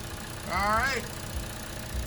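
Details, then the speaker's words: 2016 Chevy Trax LS AWD Ecotec engine after repair fixing bank 2 misfire codes: quiet, even idle, steady low hum, no stumble or miss; service engine light off. "hey we fixed our problem cars when it's moved like butter"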